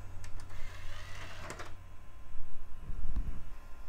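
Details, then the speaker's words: Early-2000s eMachines eTower 633id, optical drive trying to boot a CD: faint clicks and short whirring spin-up bursts as it keeps trying to read the disc; drive sounds unhappy, may be faulty or unable to read CD-Rs. "that drive doesn't sound happy but let's see and yeah we did not attempt to boot from CD"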